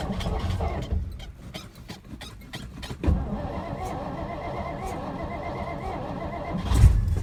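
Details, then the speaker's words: 1963 Studebaker Lark 2-door, off the road since 2010 (11 years), cranked on starting fluid poured into the vent tube: uneven cranking chug broken by sharp pops and a loud bang as it catches; backfire while cranking, oil pressure present. "Ooh boy. Hey, backfire. It's got oil pressure."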